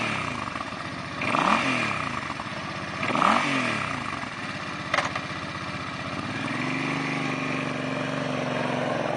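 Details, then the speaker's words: Used 2007 Suzuki Boulevard C50, 805cc fuel-injected liquid-cooled V-twin, shaft drive, 26,625 miles: started, a couple of throttle blips rise and fall cleanly, then a steady even loping idle with no knocks or rattles. Normal idle. "Fire it up for you so you can see how she runs."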